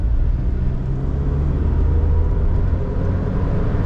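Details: Diesel vehicle: heavy, steady roar and whir from the cooling fan staying locked and blowing hard, caused by overly viscous fluid in the viscous fan clutch.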